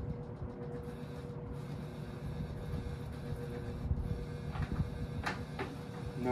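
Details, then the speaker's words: 1968 GE W-22 3-speed box fan on low: steady motor hum with a fixed droning resonance, unknown source, possibly cage; motor needs re-varnishing, also off balance on medium and tapping. "uh the biggest problem with this fan that I have is it's pretty loud I the motor could use a re-varnishing but I'm not going to do that anytime soon so it'll just have to stay this way"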